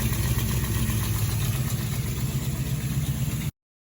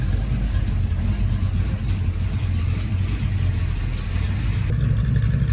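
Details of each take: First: 1972 Camaro 383 stroker V8, sat since 2011, first run after revival; loud lumpy idle with an uneven puffing beat about four per second plus noisy lifters from its large hydraulic flat-tappet cam. Finding: exhaust header leak. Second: 1972 Chevrolet Camaro with a 383 stroker V8 and a hydraulic flat-tappet cam, sat since 2011, on its first drive in nine years; water temperature, oil pressure and charging are good, transmission cold. Deep, steady rumble, no misses. Normal running.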